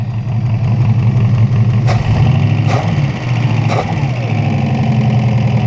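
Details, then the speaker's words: 1968 Buick Skylark Custom V8 petrol, first run after sitting about 40 years, in gear with the knock gone and PCV disconnected: idles low, steady and smooth with an even beat, no knock, just running sweet. "just running sweet yep"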